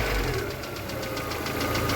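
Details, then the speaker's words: VAZ 2112 after fitting new ignition module, old HT leads still on, started cold then warmed up: steady, even idle with light regular valve tick and no misfire; normal idle. "Давайте запускать двигатель зажигание поехали работает стабильно идёмте под капот работает отлично"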